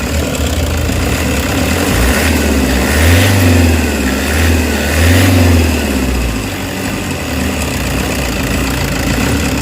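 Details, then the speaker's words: Toyota Hiace with throttle delay, low power on climbs, occasional stalling, code P0093: idle swells slowly into two lazy revs and sags back, engine lagging throttle; cause not confirmed. "Pag ginanyan mo, low power siya. Total delay, you know? Total delay, oh."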